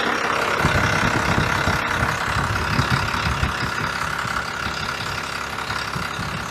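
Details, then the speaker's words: 1993 Dodge W250 Cummins 5.9L 6BT, manual transmission, running again after radiator and coolant refill: slow heavy diesel clatter with loping beat at about 650 rpm idle, spec 750; low idle speed before adjustment. "So, I'm going to give it a I'm going to start it up, note the RPM, and then come back here and turn it up. It's at about 650 right now."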